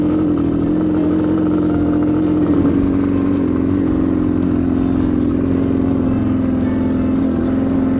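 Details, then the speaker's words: Yamaha TTR230 on trail ride, won't start, only bump starts: single-cylinder ragged uneven note at low revs, stumbling, sounds like a lawnmower; misfire, cause unknown. "i mean i'm sure i can just limp there it sounds like a freaking lawnmower"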